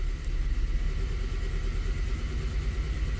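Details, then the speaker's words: 2010 Toyota Corolla at idle, engine shaking: uneven, lumpy idle with rhythmic stumble; scanner shows cylinder two misfire count. "Yes cylinder two Miss fire count dice Ahí está Mira está fallando"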